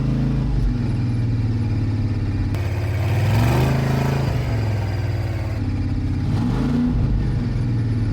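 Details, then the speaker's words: Broken monster truck (suspected failed transmission and drop box) revving hard under load with irregular clatter and crunching over it; driveline damage suspected, not confirmed. "Oh, that's not good. I don't like how it shouldn't be doing that. Oh god. This isn't good."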